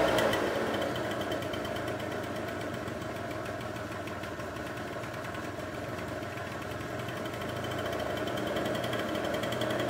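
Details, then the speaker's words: Two-stroke scooter during carburettor idle adjustment, idle screw turned in step by step until it stays running without throttle: steady, buzzy idle with an even rapid beat, no stalling or hunting; normal idle. "Immer Stück für Stück reindrehen und probieren. Der Roller muss nämlich selber anbleiben."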